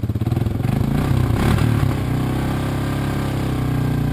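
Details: 1986 Honda TRX200SX single-cylinder ATV just reassembled after steering shaft repair: fires on choke, picks up briefly, then holds a steady, even thumping idle; normal idle.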